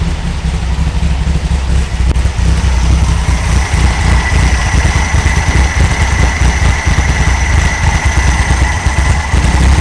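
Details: 1964 VW Beetle air-cooled engine idling from cold after a tune-up replacing rockers, carburetor and ignition parts: low, even idle with a steady beat, no misses, knocks or hunting; healthy.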